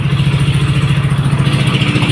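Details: Yamaha Nmax after starter one-way clutch replacement and full reassembly: even putter at about ten pulses a second, steady with no clatter; healthy single-cylinder idle.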